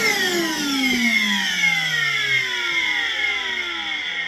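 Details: Worx WX031 brushless cordless 20V wet/dry vacuum drawing water in 100 ml steps toward its 2.9 litre capacity: steady motor whine sinking slowly in pitch under load, no rattle or gurgle; normal wet pickup.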